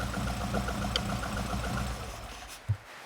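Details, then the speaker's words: Barn-find Lotus twin cam, off the road since the early 1990s, just restarted: low, even idle with no misses, then dies away with a soft clunk at shutdown. Normal idle. "That's running beautifully. That is running so so well. Surprised."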